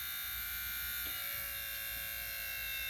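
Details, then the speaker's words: Triumph Stag spare window lift motor, out of the car, wheel removed and grease cleaned, bench-powered at about 12 volts: smooth high even whizz, pitch sagging slightly when held back as current rises, then steady; healthy motor. "Let's crank it up to about 12 volts. You can actually hear it whizzing away."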